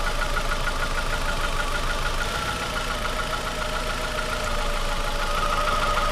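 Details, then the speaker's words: Cheap used car at idle, cylinders deactivated one at a time by pulling coils: steady knock at about three per second stays unchanged, and it goes away when revved; engine knock, not rod knock. "if the knot goes away at any time you pull a cylinder that means it's a rod knock it doesn't go away it's not a rod knock related"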